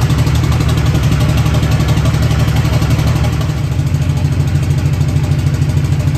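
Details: Newly built SoCal Diesel twin-turbo 1,000hp Duramax diesel at first fire-up: heavy deep rumble with lumpy, uneven beat instead of smooth idle; injectors firing out of order from mis-pinned harness.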